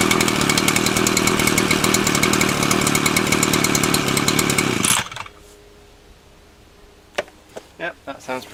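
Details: Titan TTBCP33 33cc split straight-shaft two-stroke brushcutter on alkylate fuel: even high-revving buzz, steady and smooth for five seconds before shutting off; running cleanly.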